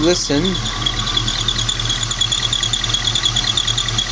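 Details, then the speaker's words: LS-swapped Mazda B2200 with high-mileage junkyard alternator, revved: sharp high-pitched squeak chirping about three times a second over steady idle, loudest from the lower idler pulley beside the alternator; idler to be replaced. "pretty sure that squeaking noise is coming out of the idler totally down low right next to the alternator"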